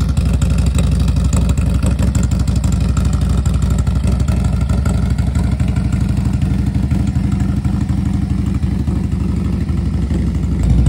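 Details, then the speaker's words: Harley FXLRST Low Rider ST 117 ci Stage 2 with Star Racing 30/30 cam, Power Vision dyno-tuned the day before, cold start idle: deep, lumpy V-twin idle about three beats a second, even firing, no clatter; healthy. "taking it out for a ride so you can hear it really really greatly improved let's start with the cold start"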